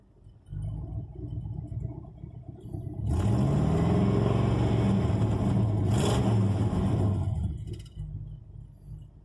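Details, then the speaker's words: S10 truck with an engine swap (a 4.3 is mentioned), warming up: deep rumble rises with revs over a choppy, stumbling beat and strong vibration felt in the cab; the engine is badly misfiring. "oh man if you could fill this right now that misfires no joke"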